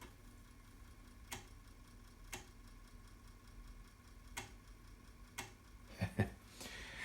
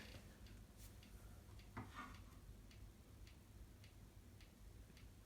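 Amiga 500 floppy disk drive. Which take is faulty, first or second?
first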